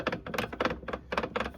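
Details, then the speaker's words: Used transfer case for a 2000 Jeep XJ (NP242 swap), shaft turned by hand: rough, gritty rattling in uneven bursts compared with a smooth new unit; grinding inside, possibly the problem. "how grindy that is yeah it's not supposed to sound like that that might be our problem right"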